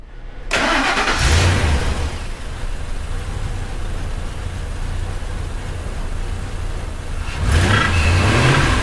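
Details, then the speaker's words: Ford F150, 300K miles, after a repair to cure a misfire code and clearing codes: quick crank, firm catch and steady, even V8 idle with no stumble or skip; idles and drives much better. "so here we are oh it's solid now it's solid now oh yeah idols so much better drive so much better goodness it's like a whole new truck"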